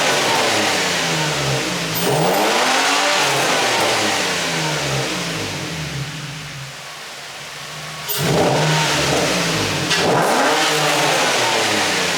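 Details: Infiniti G35 drift car with a new low-mileage engine, high-flow cats and a Godspeed exhaust, at first start-up. Loud exhaust sweeps up and down through two blips, then a steady idle with no misfire or tapping. Normal engine revving.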